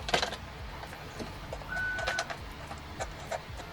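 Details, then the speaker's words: Nintendo R.O.B. robot powered on after cleaning battery contacts: small motor whirs with a short whine and scattered light clicks as the clutch slips at end of travel, which is normal for R.O.B. "And he powers on, but he doesn't sound too good. He sounds like how I've aged, where everything makes extra noise. It doesn't sound too good. So not knowing a whole lot about R.O.B, this is actually kind of normal, but I didn't know at the time"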